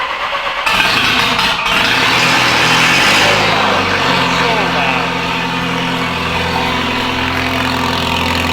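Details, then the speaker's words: Car that rolled three times; it cranks, catches and settles into a raspy, puffing idle with some smoke from an exhaust leak, expected to sound deeper once repaired. "if you guys know exhaust leaks you know exhaust leaks they just don't sound right so once we get that all set away the exhaust will actually have a deeper tone to it"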